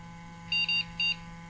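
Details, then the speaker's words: Old flea-market PC at power-on: three short high even beeps, first two close together, the POST code for graphics card not detected; graphics card fan spins; PCIe contacts then wiped to fix the connection. "no it doesn't detect the graphics card okay I'll just give the contacts a quick wipe"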